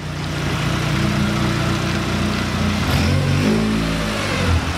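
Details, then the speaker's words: Mk3 car, engine restarted and put in gear with clutch let out: steady low hum holding under load, slight rev change near end, no stumbling or dying. Normally it runs rough at first start then dies in gear, worst in reverse; not now. Normal running. "Yeah, I don't hear it dying out at all."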